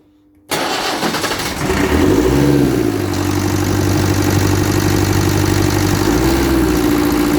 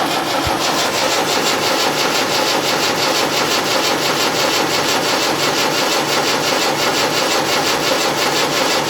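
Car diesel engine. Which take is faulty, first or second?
second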